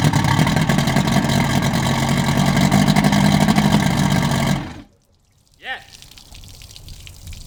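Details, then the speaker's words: Evinrude 150 XP outboard, abandoned, after trigger/timer base replacement: lumpy, uneven two-stroke beat of about four pulses a second, then cuts out. Rough running; carbs need linking and syncing, pickup and wide-open-throttle timing need setting. "but other than that guys it's running but not well okay we can't run it like this just yet we have to re-link and sink all the carbs all the timing check the pickup timing the wide open throttle timing"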